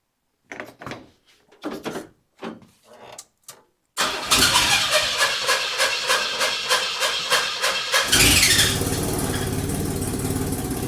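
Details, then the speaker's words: 1982 Chevy S-10 pickup, first start of its refreshed engine after a decade sitting following an engine fire: a rough, lumpy run with loud chuffing at about three beats a second. Rough running; the distributor was found flipped around backwards. "God, that sounds terrible."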